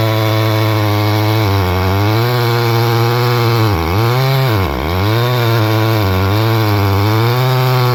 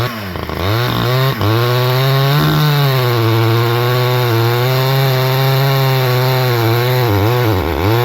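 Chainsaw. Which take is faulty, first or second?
first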